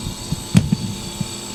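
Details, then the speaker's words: Jenn-Air fridge after replacing RC0410 combination start relay: low, steady compressor hum under soft handling knocks, drawing about 2 amps versus 9 before; running normally. "So it's running perfectly fine now."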